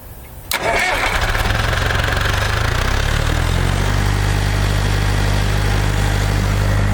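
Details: International Harvester TD-7 Series C bulldozer diesel, after a Bosch VA4 injection pump rebuild, new battery and starter fluid, cranks briefly, catches and settles to a steady even idle with no leaks; normal start.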